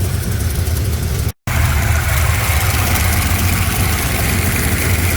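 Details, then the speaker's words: Gen 2 LT1 V8 (1994-97) with a cam, after replacing the oil pressure sending switch behind the intake: cold-started and run about 10 minutes, no leak. Deep, steady V8 rumble with slight cam lope, even idle, no ticking or knocking; normal. "I mean, it sounds better and it feels better than my 5.3 with a cam."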